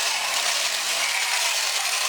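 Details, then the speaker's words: Vintage mechanical talking robot (2 C cells), walking function with ratcheting legs: steady high, thin ratcheting whirr with a faint squeak; small motor sounds dry, suspected to need a few drops of oil, unconfirmed. "It's a little squeaky, it sounds like the motor could use a couple drops of oil."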